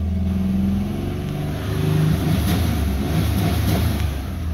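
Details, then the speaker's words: 2009 Ford Ranger FX4 4WD, automatic, 4.0 L V6 (207 hp), 66,000 miles, revved in cabin to about 3,000 rpm: pitch rises cleanly with no misses, knocks or ticks, then settles; runs healthy. "okay so this vehicle does run very good"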